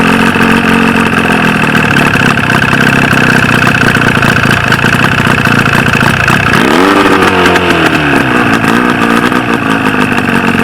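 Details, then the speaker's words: 1995 Force 40 hp outboard with water in the cylinders, after flooding with fuel: loud, rough, uneven buzz with a lumpy beat, then revs sag and wander; firing on only one cylinder. "Je she run she Run's pretty great even even on one lung"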